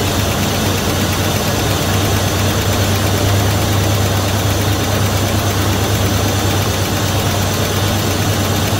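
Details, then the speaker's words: 1971 Dodge Coronet police car, 4-barrel 383 big-block V8, restarted after sitting since the early 1990s, after new plugs, wires and oil change, fuel poured in float bowls: deep, steady idle, fairly smooth, no knock; gauge shows 75 psi oil pressure (owner doubts reading). Normal idle. "it's showing 75 pounds of oil pressure so I don't know if I believe that or not but at least it has oil shut it back down but it's Highlands fairly smooth all considering"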